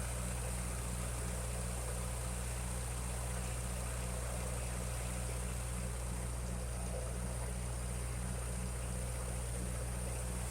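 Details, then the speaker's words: 1956 Ferguson TO35 tractor after draining water-contaminated fuel from tank, sediment bowl and float bowl: steady low even idle with no stumbling; exhaust leak near number 4 cylinder noted. "So just drain the float bowl and"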